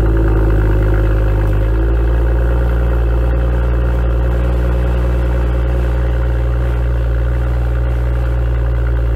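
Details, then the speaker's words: BMW M2 (N55) M Performance exhaust on cold start, before the fix: heavy low drone with a buzzing vibration for about 10–15 seconds, audible outside too; misaligned exhaust tips rattling. "for some reason the M performance exhaust heavily vibrates for about 10 to 15 seconds during a cold start and it produces these vibrating noise as you can hear"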